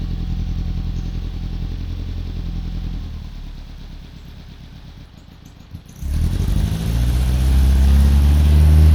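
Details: Saxo VTR-engined Hillman Imp, unused for two years, after changing all plugs to Denso: steady throbbing idle dips, then catches and revs smoothly, no popping or banging; runs cleanly.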